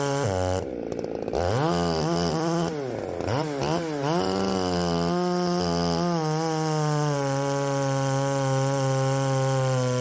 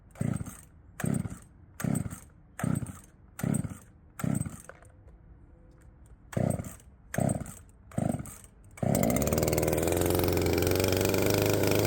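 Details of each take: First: Poulan 3750 chainsaw fitted with an adapted Chinese Echo 590 replacement carburetor, untuned first test run; earlier ran erratically when warm despite a carb swap: revs surge and wander instead of holding steady; erratic running. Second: Poulan 3750 chainsaw, previously ran erratically when warm, now fitted with an adapted Chinese carburetor at the same tune: about ten cord pulls, then catches and holds a smooth, even high buzz; runs properly.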